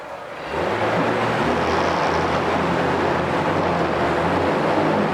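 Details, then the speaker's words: 2016 Mercury 40hp four-stroke outboard, 20in shaft, 474 hours, 150 PSI on all 4 cylinders, freshly serviced: running in forward gear, steady even hum and low drone under splashing water, spraying good telltale water, no knocks or rattles. "We'll go ahead and fire it up here. Spraying good water. Going forward."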